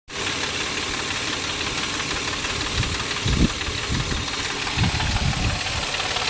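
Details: Mazda MX-6 at startup: steady rough running with irregular low thuds and knocks poking through; an abnormal engine noise that occurs every start, cause not identified.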